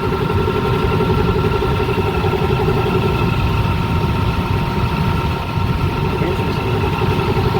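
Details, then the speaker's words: Indoor blower motor on a restaurant AC unit that kept tripping its breaker, a steady drone with fixed whining tones and a dry-bearing sound; the noise was confirmed in the motor, not the rear bearing, with the belt off. "it sounds like a dry bearing i'm getting like a dry bearing sound from this guy"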